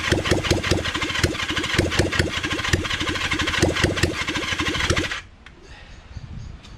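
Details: Kawasaki Zephyr 750 under restoration, carbs just fitted after ignition fixed, cranked with a bit of choke: starter turns engine over in quick even pulses about five seconds, never fires, stops. No-start from empty fuel tank.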